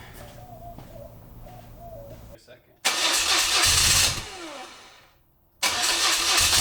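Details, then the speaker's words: BMW R100GS Paris Dakar boxer twin on its first start after engine reassembly: it catches in loud bursts, then runs unevenly and lumpy; the rough running is suspected to come from unsynchronized, untuned carbs. "i think a lot of that's just carb tuning and the fact that i think our carbs are way out of sync because i've done absolutely nothing to make sure that they're at all synchronized"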